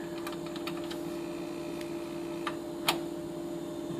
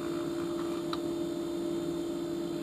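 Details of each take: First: LG refrigerator sometimes was extra loud and buzzing/rattling. It was simply a vibrating retainer clip on one of the compressor mount posts. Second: LG refrigerator compressor after fix: steady, even hum with no rattle or buzzing; the buzzing vibration came from a loose retainer clip on a compressor mount post, now seated tight.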